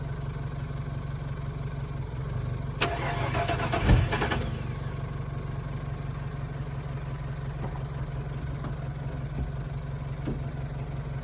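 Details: Chevrolet Colorado pulled out after winter storage: steady low churning crank with one sharp backfire pop and brief roar midway, then more cranking that never catches; fuel pump primes, fuel pressure in doubt.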